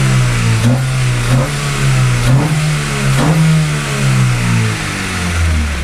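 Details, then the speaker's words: 2012 Hyundai Veloster revving after installing a cheap eBay intake, hood closed: sharp uneven knocks about once a second; still knocks, no misfire reported, cause uncertain. "it's not louder than the clicking but no it's not it's not low than the clicking all right now Hood closed okay it still knocks but"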